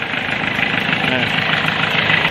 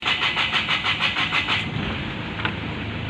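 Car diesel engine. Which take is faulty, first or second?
second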